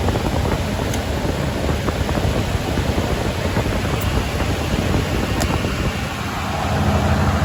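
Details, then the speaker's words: Isuzu (1998+ Trooper/Rodeo family) V6 idling after fuel pressure regulator replacement, rail pressurized before start: steady even low rumble, no misses, knocks or ticks; running smoothly. "my turn right off that sounds really nice"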